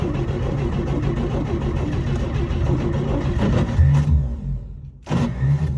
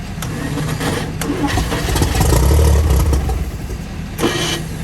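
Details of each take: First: 1955 Chevy brought back after long storage: the starter spins the engine in several bursts with pauses but it never fires or pops; no start, ignition timing later found far out. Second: 1955 Chevy revived after sitting, fed from a five-gallon fuel jug with starting fluid; catches and settles into a low, somewhat uneven rumble with a brief rev and keeps running on its own.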